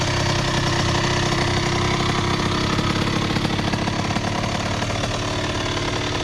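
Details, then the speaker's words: 2001 Honda CR80 two-stroke with stock exhaust, earlier making a knocking noise: fast, crackly idle holding steady with no heavy knock coming through; owner says it idles real nice; normal idle. "got some thought to it because she idling real nice though y'all real nice"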